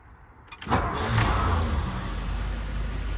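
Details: 1957 Mercury 368 cu in engine starting and settling into a lumpy idle with a faint, uneven tapping knock, worse when cold but still present at higher rpm when warm; cause unknown.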